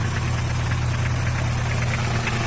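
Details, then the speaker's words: Vector car engine at cold idle, heard up close: fast, light tapping that occurs only when cold. Owner suspects a noisy lifter (tucho); recorded before adding Motorkote 100 additive to test whether it stops the noise. "Ele só faz isso no frio, galera. Esse barulhinho aí chato."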